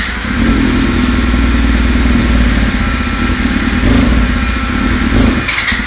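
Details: 1999 Yamaha R6 first start after engine rebuild with new cases, pistons and transmission: crisp, even firing, revs rising and settling back smoothly; healthy, normal running.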